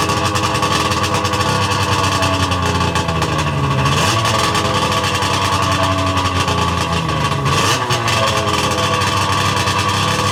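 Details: Sea-Doo 717/720 two-stroke after a complete top-end rebuild with rotary valve and intake O-rings, first start, ice cold with idle set low: loud, busy idle holds steady with brief dips and recoveries.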